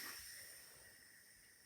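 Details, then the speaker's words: New Standard PR148 fuel pressure regulator, a replacement for Bosch 0280160007 rated 30 psi, on a bench test pressurized with air: a steady thin hiss escapes the return port, showing the regulator is leaking. "this would normally be connected to the fuel tank via the return line you can hear air hissing out of"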